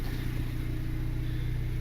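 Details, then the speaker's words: Honda Civic R18 turbo with open exhaust, started after its first oil change following the turbo install; low, even exhaust pulses at steady idle with no ticking or knocking, oil light off, idles smoothly. "Oh, let's start it right up. Oil light is gone. Nice and quiet."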